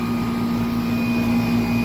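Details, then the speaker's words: 1995 Tempstar 5000 central AC condenser, 30 years old, at first startup of the 2025 cooling season after months idle, running 10–15 minutes with fan blades a bit shaky. A steady, even hum with a constant low buzz and fan whoosh, no knocks or rattles. Normal running. "Sounds good. This thing's a solid unit. Just keeps on"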